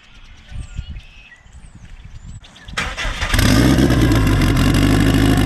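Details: Turbo car freshly fuelled with E98, runs rich on the low end, kept under 4 psi. Catches after a few cranks, lumpy unsettled idle; tune is for a 6466 turbo with 1.05 housing but a Precision 7675 is now fitted.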